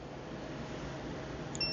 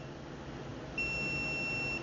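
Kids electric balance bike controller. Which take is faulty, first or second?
second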